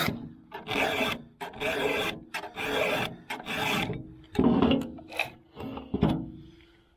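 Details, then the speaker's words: Chainsaw chain being hand-sharpened with a good sharp file: about eight crisp, gritty rasping strokes, roughly one a second, each biting evenly and leaving metal filings. The file is cutting properly. "here obviously is a good file. You can hear it cutting and you can see it cutting, and leaves good metal filings behind."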